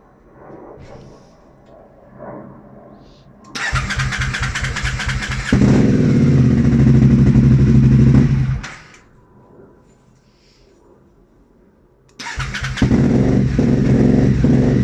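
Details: Aprilia Shiver 750 motorcycle: starter cranks steadily in two long bursts, engine turns over but never catches or fires; crank, no start.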